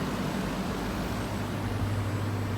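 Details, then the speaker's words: Air conditioner after replacing the fan capacitor: even rush of air over a low steady hum, no rattles; condenser fan at full speed, pressure stabilizing near 125 psi, compressor now very quiet. "escuchen el ventilador realmente me sonaba hace rato vean la franela la intensidad con que está aumentando el aire ahora si un tirador está trabajando de forma correcta"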